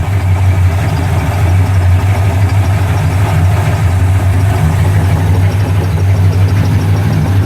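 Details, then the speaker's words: 1971 Ford F100 rat rod with a rebuilt 1998 GT40 V8 and custom exhaust, idling without revving: deep, even V8 burble with a steady beat, no knocks, misses or ticking; running perfect, normal healthy idle. "know you can hear that without me even revving it. And there she is, running perfect."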